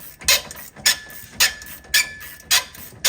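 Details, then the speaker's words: Mopar lift shock absorber from a Jeep JL, fitted since 2019 and heavily used off-road, compressed: harsh squealing groan on each stroke, about two cycles a second, like an angry donkey; still has some damping but is soft on the downstroke, worn. "Kind of sounds like an angry donkey. Yeah, this one's still a good shock. Kind of. It's pretty soft on the downstroke. It does still have some in it, but I don't think as much as it should."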